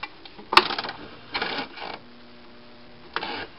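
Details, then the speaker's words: GE side-by-side refrigerator ice dispenser activated on cubed or crushed: short clattering bursts with a low strained hum between them; something binding, suspected auger frozen in the back. "okay that doesn't sound good it sounds like something's binding up and we need to figure out why"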